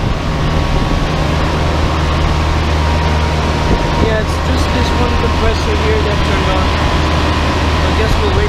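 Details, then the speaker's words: Giant Trane Intellipak rooftop unit: steady even low hum with faint constant tone, no knocks or rattles, only one large Trane scroll compressor running normally just after startup. "i think only one of the compressors turned on yeah all right not sure if you got that but at least i got the startup"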